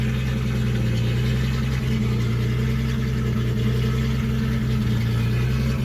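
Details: 1976 Datsun 280Z six, first start after sitting four or five years, open exhaust: loud deep burble, steady and even, no knocks or misses; runs cleanly, started right up; won't restart hot, owner suspects distributor.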